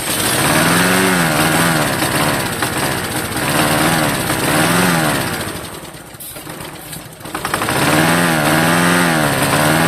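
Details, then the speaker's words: Vintage Homelite yard-sale find: small engine surges in uneven waves, nearly dies, then picks up but won't keep running on its own; has spark and enough compression, carburetor cleaning or a carburetor kit suspected. "Nope. It does not want to run on its own. But you hear it run. So, that's something. We know it has spark. We know it has enough compression to run."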